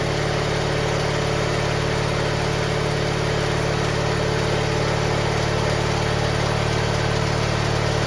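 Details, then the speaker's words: GT18 garden tractor after carburetor refit, air cleaner off: uneven loping beat and rough low drone; owner suspects flooding, which it didn't do before; rough running after start. "now that's not promising sounds like she's flooding which is not good it was not flooding before"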